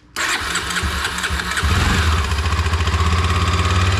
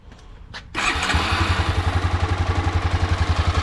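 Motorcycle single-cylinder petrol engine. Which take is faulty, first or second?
first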